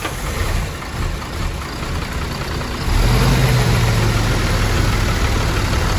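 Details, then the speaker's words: MAN TGM 18.340 truck, D0836 LFL65 diesel, 745,889 km, previously smoking with no compression in cylinder 6; rebuilt and reinstalled. At first start it cranks, fires and settles into a steady, even low idle with no knocks: normal. "Động cơ đã được lắp đặt, mọi thứ được kết nối ở mọi nơi, chúng tôi đang thử lần đầu tiên khởi động, giả sử"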